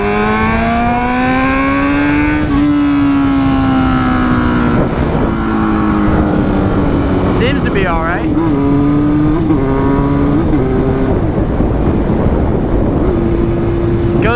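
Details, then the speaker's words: Motorcycle test ride after a transmission rebuild with the bad gears replaced. The Power Commander issue is believed fixed and the fairings are still off. Pitch climbs and drops cleanly at each shift, with no grinding or clunks. Normal running and gear shifting. "Goes through the gears pretty well. I'm pretty satisfied with that."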